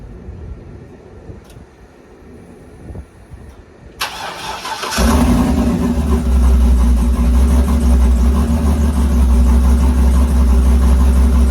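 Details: Engine with Huron Speed turbo kit and BTR turbo cam, first start after oil priming and fuel pump fuse reinstalled: quiet clicks and whir for four seconds, then catches and settles into a loud, steady, deep idle; normal.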